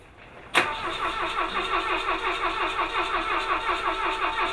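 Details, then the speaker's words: Points-ignition rally car: starter spins the engine steadily at about three beats a second but it never fires, despite spark, sparking points and a semi-full float bowl; crank no start, cause unknown. "Should be running. We have spark. We have probably have gasoline."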